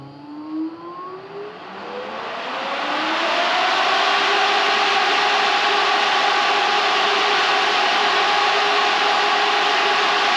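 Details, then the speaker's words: New Aeroflow brushless thermo fan with soft start, just mounted on a V6-converted L300, is test-run: it spins up with a rising whir, then holds a loud, steady, drone-like high pitch. Normal electric fan operation. "I I honestly thought that was going to bloody fly off. Sounds like a drone."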